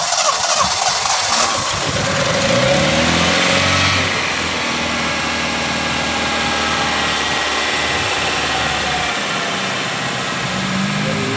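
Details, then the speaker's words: Toyota Starlet idling right after an oil change, engine not yet fully warm: catches then settles into a fairly even, low idle with steady beat, no knocks or ticks; smoother than the rougher sound before, credited to fresh oil replacing old oil that was possibly too thin. "Suaranya juga beda ya. Kalau kemarin suaranya agak kasar, sekarang lumayan halus suaranya karena memang dari penggantian oli ini mempengaruhi dari suara dan juga apa ya, ibaratnya gesekan mesin juga lebih halus karena olinya juga oli baru gitu ya."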